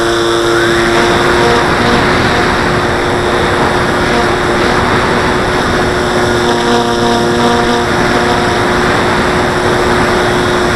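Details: Model plane in flight: steady propeller drone with rough buzzing rattle when climbing or hard banking, like elastic bands vibrating; owner suspects wing lifting from fuselage, wings not visibly flexing; source unconfirmed.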